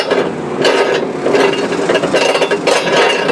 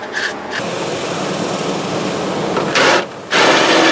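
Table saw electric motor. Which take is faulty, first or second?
first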